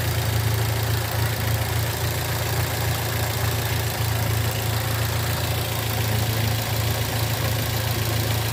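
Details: Toyota Avanza 2013 1300cc: a steady low droning hum (ngorok/mengaung) from the front at an even idle; the noise was diagnosed as coming from the alternator, and the alternator is to be taken to an alternator service shop.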